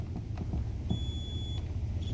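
A steady high-pitched meter tone sounds twice, marking an unbroken wire in the iron's power cord.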